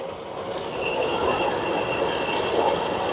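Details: Whirlpool stacked washer test run after replacing direct-drive transmission that leaked oil from a bad seal; steady rushing hiss with faint whistle as tub fills quickly and evenly; normal fill, no leaks.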